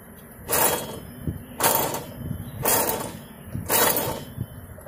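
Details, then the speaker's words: 2007 Chevy HHR rear wheel bearing, drum brake cover off, hub spun by hand: gritty roaring bursts about once a second from the worn bearing, to be replaced. "right here is your wheel bearing i don't know if you can hear it but it's roaring listen"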